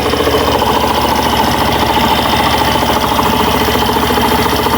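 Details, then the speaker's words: Suzuki Burgman Street scooter, cold morning, about one to two bars on the temperature gauge: engine idles steadily with a soft, even patter and no belt squeal or rattle; the transmission noise is fixed and now normal. "Hindi na po umiingay mga bossing. Nasa bali yung ingay niya is normal na lang po mga boss."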